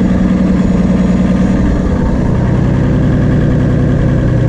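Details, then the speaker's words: Turbo Toyota Supra first running after about three years sitting, exhaust baffle fitted; rough uneven idle with irregular stumble about three times a second under a low drone; still sounds like a misfire, cause unconfirmed. "y'all saying sounds like a still misfire the turbo was spinning"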